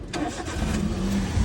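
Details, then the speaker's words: Engine start after tightening the previously loose, squealing alternator belt: cranks and catches quickly, settling into an even low idle with no belt squeal; clean start, repair successful. "നമ്മളിപ്പോ belt tight ചെയ്തിട്ടുണ്ട്. അപ്പൊ നമുക്ക് start ചെയ്ത്"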